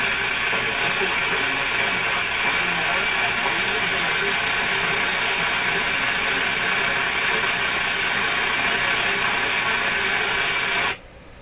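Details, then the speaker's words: RCA A-32 Globetrotter radio tuned near 680 AM: loud steady hiss with faint buzzing pulse about four per second nearly drowning the station; household electrical interference near 680, source not identified. "So there you can hear the noise. You can still hear the radio station. So this is the situation here in my house."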